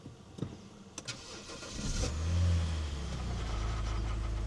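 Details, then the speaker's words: $900 BMW E90 first start after battery charging, coolant flush, new upper radiator hose and oil filter. The starter churns briefly and the engine catches to an uneven, wrong-sounding idle; on the second start it ran smoothly under 1,000 rpm. "Hey! Something doesn't sound right."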